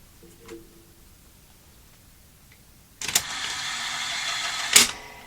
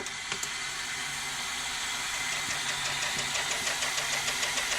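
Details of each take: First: Toshiba V5470B Betamax video recorder under repair, original logic board refitted: rewind not working; short bursts of motor whirring, each started and stopped by sharp clicks, but the tape never spins up; mechanism stuck, motor straining. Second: Toshiba V5470B Betamax recorder, rewind after reworking the transport idler: steady high-pitched whir with faint regular ticking as reels spin up evenly; rewind at good strong speed.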